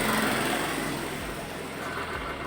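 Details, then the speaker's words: 2017 Honda Scoopy CVT after bearing replacement (was grinding when wheel spun): light, even high-pitched buzz fading steadily with no scraping or grinding; belt drive now runs smoothly, normal. "sekarang udah halus ya, udah nggak kayak tadi sebelumnya."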